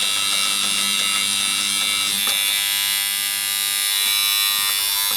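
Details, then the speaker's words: Alfa Laval refrigeration compressor whose faulty liquid line solenoid coil tripped the RCD and went open circuit: solenoid coil gives a loud steady high-pitched buzz, easing to a hum with gas in; pinching the case may reduce buzzing. "Right, that's a bit better. Just a hum. I remember reading somewhere that if you get one that's buzzy, you might have to just pinch the case in a bit"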